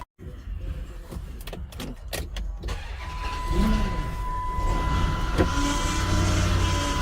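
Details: Chrysler Aspen, customer complaint of a loud whine under the hood: a steady high whine over the running engine, traced to the power steering pump.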